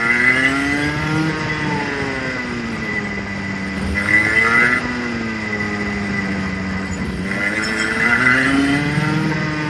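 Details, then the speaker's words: Clutched go-kart engine on-track run-in, revs swinging 6,000 to 10,000 RPM each straight with brake taps: smooth, clean, crisp; healthy engine running in. "So accelerate up off the corner, a couple of light taps of the brake to slow the kart down to 6,000 RPM again, and then accelerate back up to 10,000 and then just back off again, and you'll probably be at the next corner, at our track anyway."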